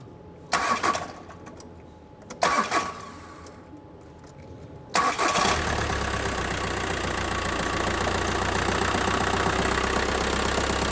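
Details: 2009 VW T5 diesel, cold start: two short cranks, catches and idles with a hard steady knock underneath; knock occurs when cold, dual-mass flywheel suspected as the cause.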